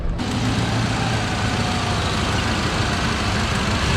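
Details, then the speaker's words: 1978 Ford F-100, 400M V8 with C6, sat for years, just fitted with Holley Sniper EFI, started to warm up: steady even idle with a faint puffing tick on the low rumble. Exhaust manifold leak on one bank. "we got a bit of an exhaust leak over here on this Bank"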